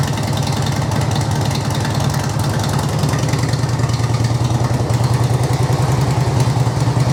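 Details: 2005 Harley-Davidson Electra Glide 88ci V-twin, about 2500 miles since rebuild, idling in neutral after oil service: even loping beat about three pulses a second, steady, no misses or knocks; normal healthy idle.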